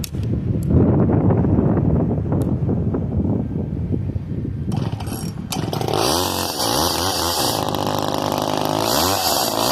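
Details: Old Craftsman chainsaw with 18-inch bar, manual oiler and decompression valve, cold start: rough uneven low chugging, then catches and revs to a high buzzing wail rising and falling with throttle; runs normally.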